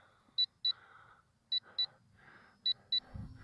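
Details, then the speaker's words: LSRC KS66 brushless optical-flow drone in flight: three pairs of short high clean beeps about a second apart over quiet motor hum. This is the low-battery telemetry warning, which comes on early, about five minutes before the low-voltage-cutoff landing. "another thing manufacturer this drone you're giv the Telemetry warning comes on too soon um maybe uh adjust adjust that so you don't get this annoying beep so early in the the flight"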